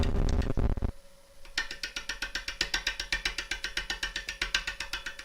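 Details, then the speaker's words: Woodturning a gnarly crotch blank of uncertain species (possibly beech) on the lathe, cutting carefully: crisp, even ticks about four per second as the gouge meets wood through the gaps. This is a normal interrupted cut on an irregular blank. "Each of those little taps you can hear, let's just go back to the overhead. I think you can see through the through your screens there the air that's being cut, but actually every dick that you hear is actually the wood being cut."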